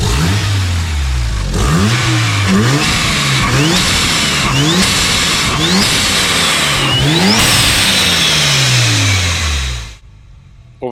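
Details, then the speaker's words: Mazda RX-7 turbocharged rotary, after the warped V-band downpipes were cut and replaced and a flex pipe and EGT probes added: quick repeated revs sound clean, with no ticking or puffing, so the exhaust leak appears resolved. "happy with the result it looks like the exhaust leak is resolved and should be ready for a track day next month"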